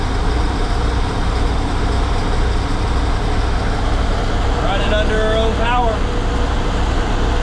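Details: 1984 Chevy Champion motorhome petrol engine after years sitting, fed by a temporary electric fuel pump with inline filters: steady low rumble and even beat, holding idle; engine running after long storage.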